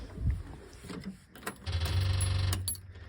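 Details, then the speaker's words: 1968 VW double cab transporter left 5 years in a storage lot, with a battery just installed: a brief, steady low hum at key-on as the electric fuel pump primes normally. The engine turns over but sounds like it has no compression. "That's a electric fuel pump. It does turn over. Interesting."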